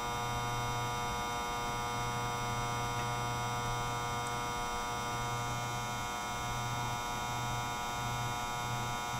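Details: Desktop PC, power supply replaced 2–3 months earlier, noise began a month ago: loud, steady electrical buzz with a high whine, seemingly from the CPU area; stopping each fan changed nothing; boots but freezes; cause unknown.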